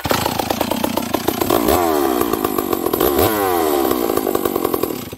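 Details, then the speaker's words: Cold old Stihl 038 chainsaw with high compression: runs rough and blubbery and sags between throttle blips, loaded up with fuel; low-speed jet too rich, turned in slightly. "there i think this saw's a little rich on the low jet or okay look i'm just gonna turn it in just a squeak okay i could hear it when i fired up there see how it's kind of loaded up with fuel"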